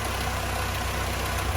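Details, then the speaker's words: Mini Club A+ 998 with HS4 carb, timing at 34° at idle and 52° at full advance: fast lumpy idle with soft irregular exhaust pops; ignition timing far over-advanced. "popping in the exhaust and that's an indication that we got too much advance and we got too much advance for full Advance as well"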